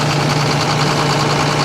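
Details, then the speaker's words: John Deere 9600 combine diesel, blue smoke, fuel in oil, code 37E; number five cylinder reads colder (150 vs 175–184): low idle, steady drone but faintly uneven lumpy beat; one cylinder not firing, worn injector. "The one that's not firing right should be a lot colder than all the rest of them."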